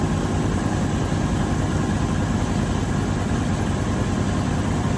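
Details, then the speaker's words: 1984 GMC Sierra Classic V8 after alternator belt tightened: fires right up, even low idle, no squeal or chirp; runs smoothly. "There we go. Fires right up. I'm telling y'all, this is a great truck."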